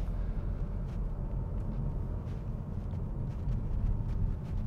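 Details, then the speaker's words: Perodua Ativa at about 8,500 km driving over bumps after a warranty fix adding washers to hold the rear brake drum in place: steady low road rumble, solid, with no rattling anymore. "let's go immediately it's it's a lot more solid you don't get the rattling noise anymore"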